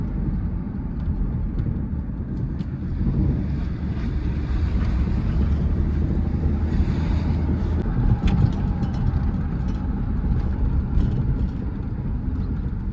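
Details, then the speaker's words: Ford truck on the road after oil pump repair, being shaken around to test oil pressure: steady engine drone under road and wind noise, no knocks, ticks or rattles; motor healthy, oil pressure holding. "I don't hear anything in the motor, which is super nice. I don't think we damaged anything crazy."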